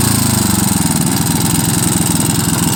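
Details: Lombardini IM 350 single-cylinder with rough idle and poor acceleration: uneven, lumpy thumping with shifting firing rhythm; no vacuum leak, air filter clean, carburetor cleaned and inspected, cause not yet found.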